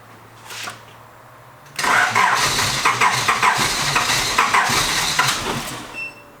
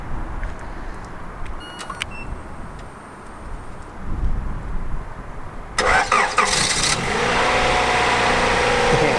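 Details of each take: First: Honda Prelude INX with 1980s aftermarket JDM remote starter, car sat for years: starter churns about four seconds in uneven bursts, never catches; cranks no start, unclear whether remote signal or long storage is the cause. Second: 1980s Honda Prelude INX (JDM import), started via period aftermarket remote starter: a few clicks, brief crank, catches straight away and settles into steady even idle; normal start.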